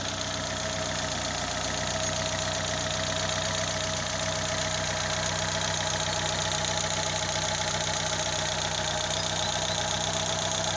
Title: bruit moteur